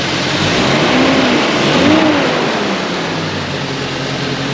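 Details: 1991 Jeep Comanche petrol engine after broken distributor rotor repair and plug regap; revs pick up cleanly on a blip and settle back smoothly without misses or stumbles.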